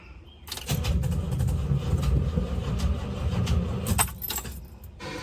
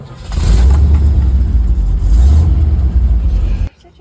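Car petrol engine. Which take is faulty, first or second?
first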